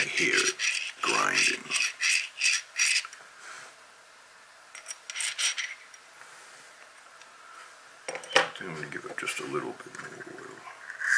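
Short dry scraping rasps each time the bolt is worked, a gritty metal-on-metal grind that points to a dry mechanism wanting oil. Cause suspected, not confirmed.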